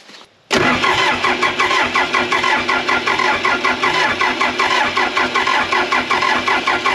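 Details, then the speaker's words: Case 450B bulldozer diesel while bleeding the Roosa Master DB injection pump after long sitting with bad old fuel: starter churns evenly about once a second, never fires. Owners suspect fault inside the pump; cranks, won't start. "I don't think it's going to happen today either, which is, I guess, somewhat good in the sense of last time, at least we weren't insane when we were up here. Something's going on inside that pump."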